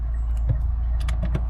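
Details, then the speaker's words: Fiat 500 at 72,000 miles: sharp bangs through a low engine hum in second gear, also in neutral, not in first or reverse, and it struggles into park. Broken driveshaft suspected. "Can hear that banging sound when I put it into two in second gear. First gear, no noise."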